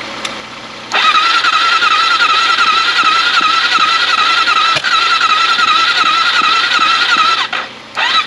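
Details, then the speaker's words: AJP PR7 single-cylinder motorcycle, first start after engine damage repair and reassembly, with a weak battery: after cranking it catches and holds a high, wavering rev, then sags when the throttle eases, so it only runs with the throttle held; hard starting. "auf jeden Fall jetzt lu irgendwie ganz Komis muss das Gas auf drerehen damit sie überhaupt komm int jetzt ein bisschen"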